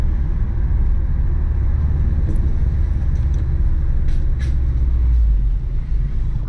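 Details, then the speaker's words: Modified Subaru WRX, fully built engine, over 200 kW, upgraded intercooler, dump valve, Prodrive piping and oil cooler: deep lumpy low burble held steady with no knocks or ticks; normal boxer rumble attributed to unequal exhaust port lengths. "they say it's actually because the the exhaust length because two of the ports are closer than the other two that's how they make that sound yeah that's also why beetle also used to make that noise"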